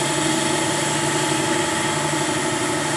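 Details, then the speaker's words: Lathe facing the end of a dividing-head spindle with the thick steady in place because of the long overhang. Steady, even machining hum and smooth hiss with no chatter: a clean cut. "Sounds like a clean cut this time. We'll whisper it, a couple of thou."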